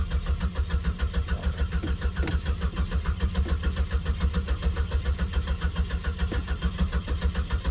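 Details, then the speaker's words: 2004 Buick LaSabre that had sat for a few years, cranking steadily with no catch or firing; no fuel is being delivered. "Cranked on this thing for quite a while after my last clip, and I never heard the fuel pump kick on at all."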